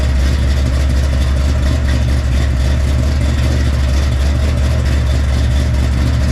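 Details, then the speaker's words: Freshly built 454 big-block Chevy for El Camino, hydraulic roller cam, 10.2:1 compression, first start: deep loud steady V8 rumble, no knocks or ticks, crisp but needs carb tuning; odd squirter spray pattern suspected, unconfirmed. "that sounds crisp definitely needs some carb tuning"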